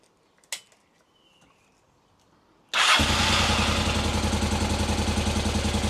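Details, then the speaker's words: Honda Africa Twin, first start after full rebuild: quick clean start, then a steady even idle with a purring regular exhaust beat. Tickover was corrected by removing a spring on the top screw that restricted movement. Healthy twin. "So she starts beautifully. Tick over is just about bang on, I would say. And listen to that exhaust purring."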